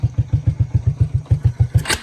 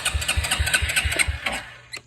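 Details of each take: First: Early-to-mid-90s Suzuki King Quad 300 ATV, running with open carb after a warped air-box part wouldn't fit, idle set a little low: fires right up, even low single-cylinder thumps about eight a second, clean idle; normal start and idle. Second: Suzuki King Quad 300, oil level about halfway and a little black, cranked before checking spark and carburetor; strong, even compression pulses about six per second, turning over freely but never firing.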